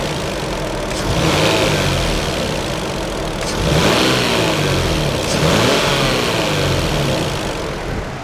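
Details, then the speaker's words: Toyota 2JZ-GTE inline six revved and let fall back: light, uneven tapping under the engine note, most noticeable as revs drop off throttle, like a card in bicycle spokes; source unclear, from engine or possibly intake manifold. "alright guys so we may have a problem maybe my motors making a slight like tapping or ticking noise I'm not really sure I'll show you guys okay so listen closely right now I'm not sure if you can hear that but you can definitely hear it more off when it's coming down off throttle"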